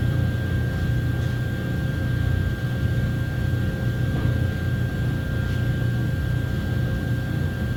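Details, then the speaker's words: 2009 Chevy Silverado 1500 4x4 5.3 V8 running after replacing the fuel pump driver module, which had water intrusion and caused a cranks-no-start: steady even low rumble, no knocks, stumbles or surges, normal running. "well it obviously runs but it was running before with the old fuel pump driver"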